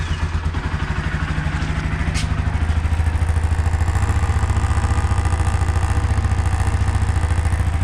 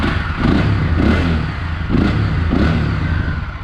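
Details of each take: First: Honda CB Twister motorcycle idling and revved: light buzzy clatter on each engine pulse, initially suspected engine problem, traced to a loose rear license plate. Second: Motorcycle after fixing its rattling license plate, which was sitting crooked: engine blipped four times, revs rising and falling cleanly with no plate rattle.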